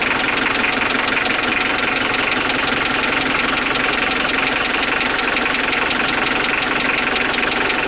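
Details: Unexplained engine knock at idle: sharp metallic knock, nearly four per second, very regular over the engine noise; sounds like a connecting-rod knock, but the owner says the rods were opened and checked, so the cause is unknown.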